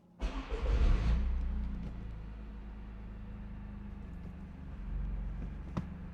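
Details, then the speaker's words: Engine catches with a brief rev, then settles to a steady, even low idle with slight firm vibration after installing a stiffer GGP rear motor mount for autocross; running normally, vibration noticeable but mild. "I mean, it's not anything. The vibrations, no. I like the I like the race car feel, you know."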